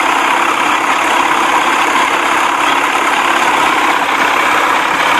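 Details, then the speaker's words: 1979 Evinrude 55 hp outboard, warmed up and getting hot, after hesitation, poor idle and hard starting: even, steady two-stroke burble with no misses or surging; best idle of the day. "that's why it's idling better not not smoking hot and that's the best it sounded all day idly i mean you can't beat that"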